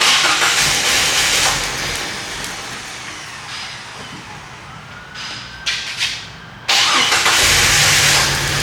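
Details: 1998 Jeep Wrangler 4.0L inline-six that sputtered and died at a stoplight, spark and injector signal confirmed: engine catches, runs rough, dies to near quiet, fires again; starts then stalls.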